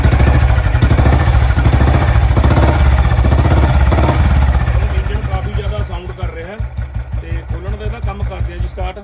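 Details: 2009 Royal Enfield Electra (Bullet) single-cylinder idling around 160 beats a minute with a sharp tak-tak tick riding each beat from the engine; noisy top end, cause not stated, new chain set and service planned.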